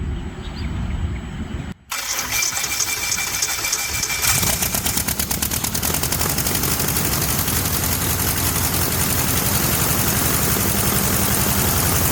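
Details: Experimental aircraft, first start in 4 months after new Catto propeller and electronic ignition wires installed: starter whirs, engine catches after brief pause, settles into fast steady firing rhythm; normal engine start.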